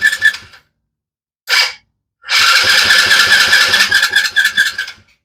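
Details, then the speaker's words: Small Chinese kids' ATV the owner says won't run and only fires briefly on starting fluid. With fuel shot down the intake, short cranking bursts give a ragged run of uneven pops that fades out. The mechanic suspects it just needs a carb cleaning. "Probably just needs a carb cleaning."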